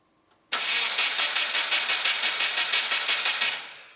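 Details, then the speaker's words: Crashed Subaru WRX cranking after rewiring: fuel pump and relays heard, oil light goes out, but the starter churns about three seconds and it never fires; fuel present, apparently no spark. Crank, no start. "I can hear fuel. I think we've got fuel, but it sounds like we don't have spark."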